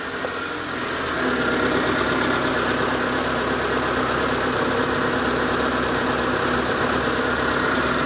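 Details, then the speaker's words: Proton Satria 1.5 with misfire and low compression on cylinder 1, coil and leads refitted: idle hunts up and down with uneven, lumpy beat; surging rough idle from misfire. "Can you hear that? No, you can. A surging. It's not the same."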